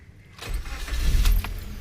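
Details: 2021 Maruti Suzuki Swift Dzire Tour CNG taxi-board car offered for sale: starter whirr, then the engine catches and settles into a low, steady hum with no knocks or misses, a clean normal start; starts on petrol before switching to CNG.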